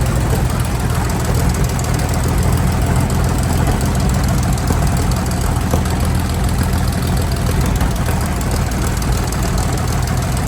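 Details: Centurion ARV V12 after the magnetos were re-timed to the crank: a steady, even deep rumble with no misses or stumbles. Owner says the timing is right now, though fuel pressure is low. Normal running.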